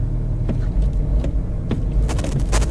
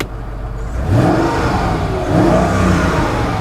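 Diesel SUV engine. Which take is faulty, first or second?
first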